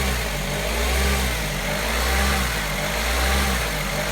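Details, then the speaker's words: Electronic throttle body with H-bridge drive fuse pulled, so no motor drive and the spring defaults the throttle slightly open in limp-home mode; idle hunts up and down about every 1.5 seconds, never settling. "I have no drive, and the relative throttle position actually opened a wee bit there. You can see it. You can hear the car obviously hunting."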